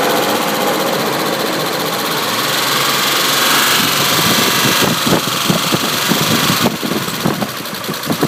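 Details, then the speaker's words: 1995 Isuzu Rodeo 3.2L V6: sharp irregular knocks cut through the rising engine rush as throttle is applied; knocking noise under revving, cause unknown. "There's a sound coming from the engine. I guess a knocking noise."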